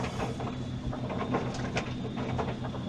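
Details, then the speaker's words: Whirlpool Duet washer WFW96HEAC0 after replacing the broken motor rotor bolt that let the rotor scrape the tub, run with the cover off: low even spin rumble, few light ticks, no banging or scraping, far quieter than before; normal spin cycle. "you see it starts to spin spinning this is way better before it was so noisy you couldn't even be in"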